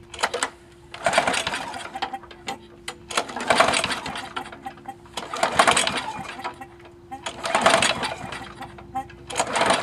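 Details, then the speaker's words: Murray 20-inch mower with 4.75 HP Briggs & Stratton engine, after clearing suspected hydrolock from overfilled oil: repeated pull-start bursts, engine coughs but won't run; owner suspects oil fouling the spark plug from the cylinder. "I think the spark plug's getting oil and stuff on it inside. I might have to uh empty out that cylinder a little bit more."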